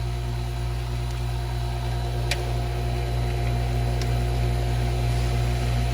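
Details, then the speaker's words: Pool pump on the suction side: the Jandy valve is turned to close off the skimmer and send more suction to the pool vacuum, with skimmer and pump baskets emptied and the impeller checked clear. A steady motor hum carries a faint hiss as the pump strains from restricted suction. "Hear that? Hear that hissing? Now you can really hear it, okay? Hear how it sounds like the pump is straining a little bit, okay?"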